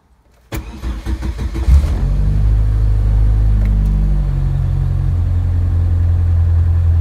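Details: Partially built 2.2 OHV engine with stock Wiseco pistons, Molnar rods, 8:1 compression and .0040 piston-to-wall clearance, cold start at -20°C: cranks, catches and settles into a deep, slightly uneven idle with dull piston-slap knocking; runs 32 PSI on a GT28 turbo once warm.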